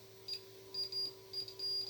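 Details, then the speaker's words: Multimeter continuity beeps, steady while probes held, on circuit board of Apple BFB0712VHD 12 V 0.50 A turbine fan motor, believed burned: transistor emitter path shorted. "So the emitter, I said, this part to here is also shorted."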